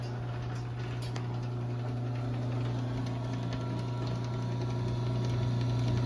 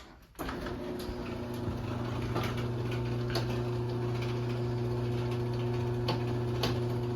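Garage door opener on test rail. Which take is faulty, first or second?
second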